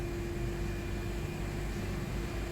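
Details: 2017 Honda CR-V, about 136,000 km, start after starter replacement for free-spinning starter and battery reconnect; smooth, even idle with faint steady hum, no knocks, stumbles or grinding, engine running cleanly.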